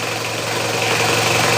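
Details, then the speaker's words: Mitsubishi Kuda diesel at idle, before greasing the belt: thin steady high squeal over the diesel clatter from an aged, worn slipping fan belt. "Oke friend jadi Suaranya berisik banget ya untuk bagian fan belt-nya ini ya"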